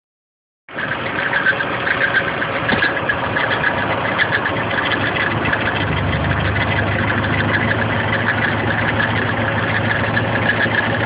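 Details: Nissan KA24DE four-cylinder at idle: fast light ticking chatter localized with a 3/4 inch hose to the front timing chain cover; chain seems tight, owner suspects chain guides, cause not confirmed.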